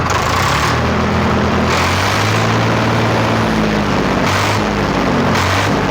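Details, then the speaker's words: Swaraj 855 tractor with a hard-starting problem (needs cranking in the morning) and weak brakes: loud, steady diesel clatter at constant speed with no knocks or misses; running smoothly. "तो इसकी आवाज़ कुछ इस तरह की होती है।"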